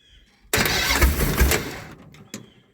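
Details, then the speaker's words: Mopar with a no-spark problem, carburetor filled with gas through the vent tube: engine catches with a loud rough burst, runs about a second, then fades and dies; owner suspects it is not getting fuel. "I wonder if I'm not getting fuel"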